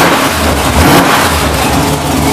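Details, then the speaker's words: GM ZZ6/CT400-type 604 circle-track race V8 on test stand with headers and carburetor: loud steady burble, smooth revs rising and falling, no knocks, gauges and oil pressure fine; runs normally. "the purpose of this video is to demonstrate that this motor runs just fine"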